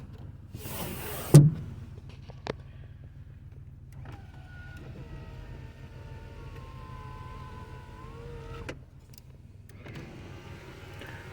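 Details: 1991 Chrysler New Yorker Fifth Avenue, revived after nearly 20 years sitting, engine running: smooth steady power window motor whir for a few seconds ending in a clean stop as the glass seats; windows closing normally.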